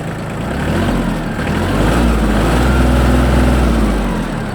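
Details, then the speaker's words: Shibaura D215F Japanese mini tractor, small diesel with 754 engine hours: starts very easily and settles into a steady, even chug around four beats a second with no knocks or rattles; healthy idle. "ну давайте запускать запускается очень легко работает ровно"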